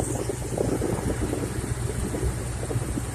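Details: 2014 Ford Mustang GT 5.0 Coyote about a month after replacing a lifter and a rocker whose roller was worn flat. A steady, even idle with a smooth low rumble and no ticking or tapping on top of the engine. Normal idle after the repair.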